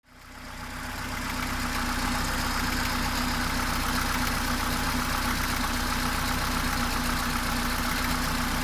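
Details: 18-year-old Mercedes A-Class W168 1.6 L petrol automatic, about 150,000 km, at idle: sharp, regular clacking about four knocks a second over the normal valvetrain tick; source not yet identified.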